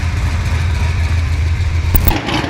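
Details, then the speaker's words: Supercharged Corvette V8 just upgraded to a Magnuson 2650 blower with a breather and E85 flex fuel, first start before the dyno: a strong, steady low idle with a brief sharp transient near the end, no knock or misfire. Normal. "She's up and going. Won't be long, she'll be on the dyno. Sounds good"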